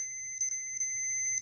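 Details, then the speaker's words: 1997 Arctic Cat Thundercat throttle safety switch tested with meter: steady continuity beep cuts out briefly as the switch is wiggled; faulty throttle safety switch losing contact, to be jumped until replaced. "so if you need to if you want to test it you could jump it make sure that's the problem for you because you can hear it's not a hundred percent on mine"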